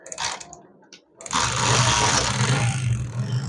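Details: Motorcycle kick-started after folded cardboard was wedged in to stop the spark plug wire shorting; short kicks, then the single-cylinder catches cleanly into a steady even beat of about four per second, running fine.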